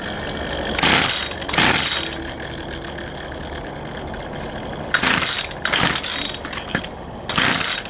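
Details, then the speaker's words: Poulan Pro 222 38cc chainsaw: repeated rattly pull-cord bursts about one per second, no firing between pulls; cranks but won't run, suspected carburetor fuel delivery issue, later found fuel lines misrouted. "I believe we still have a carburetor field delivery [Music] issue try it one more time and I'm pretty sure we're going to have to go back in there figure out this carburetor issue"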